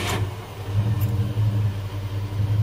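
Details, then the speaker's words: 1978 Ford LTD on LPG, restarted warm after sitting about 30 seconds following a test drive; brief crank catches straight away, settles into steady even low idle with no misses; starter seems fine now, battery suspected; normal idle after hot restart. "I just turned it off. Let it sit for 30 odd seconds. Let's see if it'll start again."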